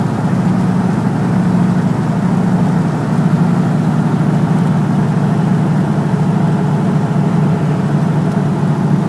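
Steady but rough, uneven idle with a faint stumbling beat under the engine drone; sounds like a misfire, cause unknown.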